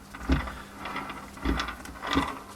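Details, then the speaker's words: Audi B4 2.6 V6 gearbox, sent in for humming, turned by hand on the bench: a dry, scraping rub with each turn from the reverse gears, which had been running dry. "звук как будто что-то трется непонятно где ты затеваешь ты что-то там по идее нет ничего все просто странно надо смотреть вот откуда звук это получается внутри шестерни задние задней передачи"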